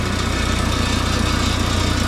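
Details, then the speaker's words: Mini forklift engine after fixing propane blocking the intake and the throttle linkage: steady low idle with fast, even pulse and a light rattle on top, likely from the exhaust; rattle at idle. "Got a little rattle somewhere. That's probably that exhaust."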